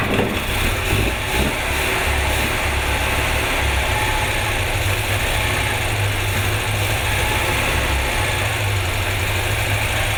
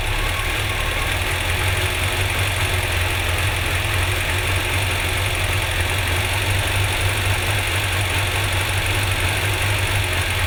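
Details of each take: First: Car engine on first start after ignition work, with one spark plug lead left off: rough, lumpy idle with an uneven low thump and a missing beat, running on three cylinders. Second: Four-cylinder car after refitting a missing spark plug lead, possibly running rich: steady, even idle with a smooth low hum and no stumble; normal idle.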